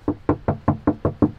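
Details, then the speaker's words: Mercedes C63 AMG coupe, knuckle-tapping door/body panel: eight evenly spaced dull, deadened hollow taps about five per second; much more material here than on original areas, indicating thick body filler under paint. "witzig komplett anders hier irgendwie material da ist viel mehr material"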